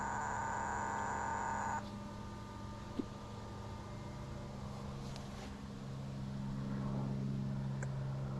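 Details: Sea Ray boat engine, new idle air control (IAC) valve: a steady, thin electrical buzz for under two seconds then a clean cutoff, the IAC actuating as it should, unlike the old one; the fuel line had already been replaced after stall-and-no-restart complaints.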